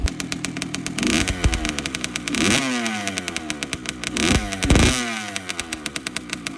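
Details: Two-stroke bike after replacing the silencer packing: crisp, even popping through a few throttle blips, revs climbing and dropping cleanly, no rattle or blowing; normal, healthy exhaust.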